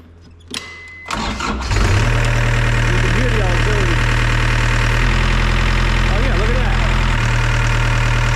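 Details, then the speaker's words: Circa-2000 Gehl CTL60 compact track loader diesel: heavy strained drone shifting as controls move because third-function auxiliary hydraulics stay on and deadhead; cause unknown, electronic joystick control or physical fault suspected. "I don't know for some reason the uh the third function Hydraulics are just they're staying on"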